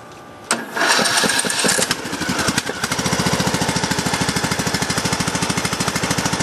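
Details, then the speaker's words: Craftsman LT2000 single-cylinder mower on a jumper pack with a low battery, after sitting two weeks uncharged, no choke and throttle down: starter drags briefly on ragged first turns, then settles into an even chug. Possible moisture from overnight rain. "Starter sounds like it's a little teeny there for a second."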